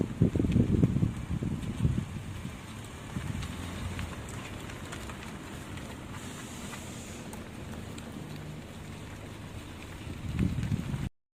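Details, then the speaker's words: Chevrolet Malibu, 80,000 km, after replacing a faulty aftermarket left-front lower control arm and leaking shock: only road rumble and wind on a rough road, no knocks or clunks; the noise is fixed. "现在走烂路的时候就不会响了。"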